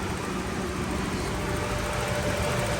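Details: Toyota Revo at idle with AC on, after recharging and adding oil to the AC compressor: an even idle with a light steady tone and no grinding or rattling. Gauges read about 43 on the low side and 175–225 on the high side; the compressor is now quiet.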